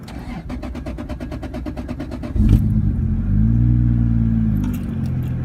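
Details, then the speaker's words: 1989 Toyota Supra with 2JZ swap, S366 turbo, 1000cc injectors, ECU Master standalone, cold start at about 77°F after a week unused: fast even cranking, clean catch, smooth idle rising as ECU idle-up compensates for AC load. "I do have an idle up compensation built into the ECU, so it should kick on and bump the RPMs up, which it did."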